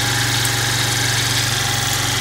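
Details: Chinese scooter, about 12 years old, 430 miles, previously wouldn't start despite spark, fuel and compression; weak battery found to be cause: small single buzzing at fast, even idle, no stumbles; normal idle.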